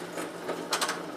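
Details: Advent 300 semi-automatic pressure sensitive labeler with OPA encapsulator and overhead pressure arm levered to press a thick label onto a molded plastic jar with mold lines; light, even mechanical clatters as it cycles, normal operation.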